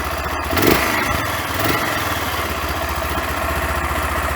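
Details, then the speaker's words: 25-year-old single-cylinder motorcycle with only 6075 km, carburetor half clogged from sitting then cleaned: even, steady putter at idle with a small early blip, no misses or knocks; normal idle. "Yeah, like I said, and it runs quite nicely. We'll test that now."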